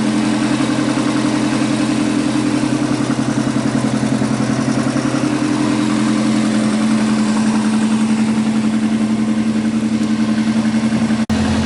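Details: Subaru EJ205 boxer, 2016, 207,000 km, with an oil leak: cold idle is steady, with a fast, even tapping under the drone at about three knocks a second; knock when cold, cause unknown.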